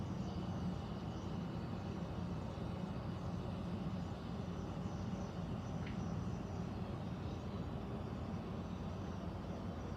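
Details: Central air conditioner air handler, apparently above the bedroom closet, making a steady low droning rumble without knocks or rattles; owner questions a possible leak; abnormal noise, cause unclear.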